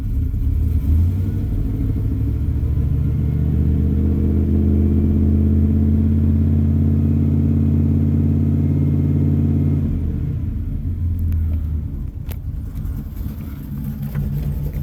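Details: 2000 Dodge Ram after alternator removed and tested for overcharging, first start with battery cable reconnected: steady, even low rumble with no knocks or whine, settling slightly lighter near the end; normal idle.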